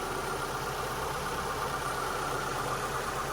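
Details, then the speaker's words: 2002 Mitsubishi Lancer after about 5 minutes of running following ignition parts replacement, shop fan hissing behind: steady, even idle with no rocking or stumble; normal idle, earlier roughness possibly from pressure-wash water in sensors (owner suspects). "Sounds a lot smoother now. It's not rocking back and forth as it was before."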